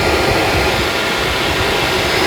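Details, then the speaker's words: Yamaha FZS600 Fazer radiator cooling fan wired directly to power after the bike overheated past 100°C at a signal: steady, even rushing whir with no rattle, ticking or wobble; the fan runs freely and is fine. "ये fan चल रहा है, ये ये मैंने direct किया हुआ है। अभी इसको उतारते हैं, देखा तो फ़ैन इसका ठीक है बिल्कुल।"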